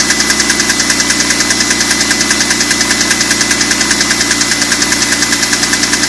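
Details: BMW M3 E46 idling with a sharp metallic tick, very regular at about three times a second. The source of the engine noise is undetermined.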